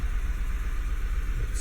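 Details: 2011 VW Tiguan 2.0: low, lumpy idle with uneven stumble, misfire codes P0300 and cylinders one and three after coil swap.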